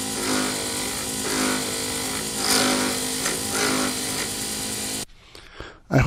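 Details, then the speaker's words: Lathe turning a D-shaped resin circuit board blank for a Sierra pen kit: once the corners are off and the blank is round, chattering stops and the cut is a steady, even rubbing hiss on the plastic. "Then as you get down to actually turning a round object, you have no more noises. It just sounds like you're rubbing on the plastic."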